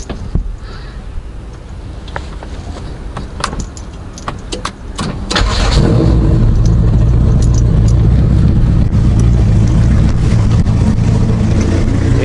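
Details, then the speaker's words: Honda Accord (CB7) with AWD H2B swap, just after the second half of the custom exhaust was installed with the muffler not yet fitted: keys clink, the engine fires and settles to a loud, deep, raspy idle; exhaust still too loud. "so we just installed the second half of the exhaust so i'm just gonna test it out see what it sounds like oh great"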